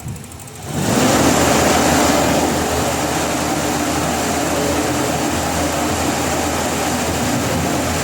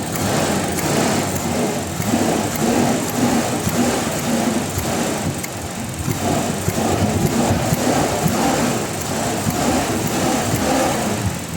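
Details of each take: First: Toyota Revo with delayed throttle response and unstable, dropping idle, revved with hood open to check the spark plugs: steady, even roar with no skips or stumbles. No misfire; mechanic suspects the throttle instead. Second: Toyota Revo with delayed throttle response, dropping idle and unstable idle, revved with hood open: a rough, uneven rattling rumble over the running note that rises with throttle. Source not pinned down; mechanic suspects the throttle.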